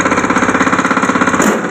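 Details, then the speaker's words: Dump truck that carries about 400 kg, engine under load trying to raise bed: loud engine pulsing about twelve times a second, labouring steadily while the weak hydraulic dump won't lift; cause not confirmed. "So ngayon, naka-under na siya. I-try kong i-dam. Hindi yan magdadam."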